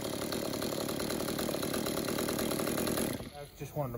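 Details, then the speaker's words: Stihl MS-192 top-handle chainsaw that would not idle or rev, after cleaning an about 80% clogged exhaust spark screen with a torch: steady crisp two-stroke buzz at constant speed, no stumbling or bogging; running normally. "now just listen to how much different and how much better this thing runs oh"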